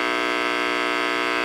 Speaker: So, what I'll do is I'll turn the diode the actual capacitors off. So, basically remove them from circuit. Listen to that. Isn't that crazy?